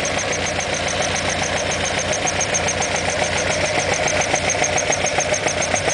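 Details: Alfa Romeo Alfetta GTV 2.0L at idle: crisp, regular ticking knock about three to four per second over steady idle; engine knock, cause unknown.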